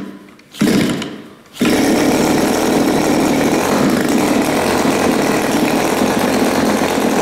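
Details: New Turnigy TP31-T 31cc twin-cylinder gas engine, CD ignition, Walbro carb, 3.7HP, first run in a very cold room, choke used: after a couple of sputters it settles into a steady even high buzz, no misses; runs clean.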